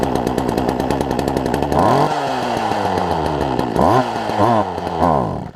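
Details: Poulan Pro 18" two-stroke chainsaw, fuel line likely pinched between carburetor and engine: revs climb and sag unevenly in repeated surges, then the buzz fades and quits; won't hold a steady idle, stalls.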